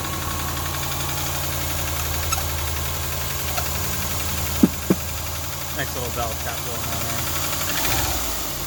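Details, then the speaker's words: 2000 Subaru Outback, almost 200,000 miles, head gaskets done a year ago and possibly blown again; steady idle with light quick tapping of about three or four ticks a second, valve tap, recorded before trying additives. "i also have that lovely valve tap which i'll demonstrate for you now"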